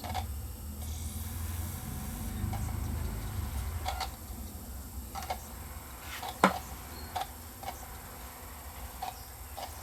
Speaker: You can see the laser reading away here, and it's going to play.